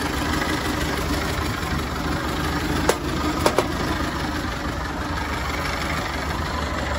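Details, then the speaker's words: 1930 Ford Model A Tudor Sedan, 201 cubic inch four-cylinder with three-speed manual, 6-volt positive-ground system, heard under the hood: even, steady idle with a soft low hum, no knocks or misses, sewing-machine smooth; healthy normal idle. "It's definitely, it's just got a nice sound with the engine, runs great. Nice vibration from the hood. Just listen to that thing, it sounds like a sewing machine."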